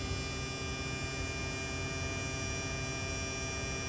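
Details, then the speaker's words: Mid-2018 Tesla Model 3 with a newly replaced electric AC compressor, spinning at maximum with the AC on low setting during an R134a recharge. Smooth, steady hum and fixed high whine with no grinding or rattling; normal. "so I got the AC on low which is the maximum so it'll spin this guy up as far as it can"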